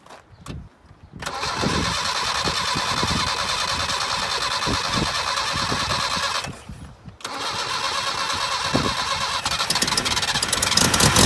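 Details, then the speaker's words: 1978 Datsun 1500 Ute GN620, parked in a shed for 20 years, cranked on fresh fuel with throttle flat while checking whether the mechanical fuel pump draws from the rear tank: two long spells of quick, even cranking, about three a second, and it never fires; no fuel reaching it. "Be interesting to see if the fuel pump's actually pumping up fuel from the back tank or not. Hey? The mechanical pump."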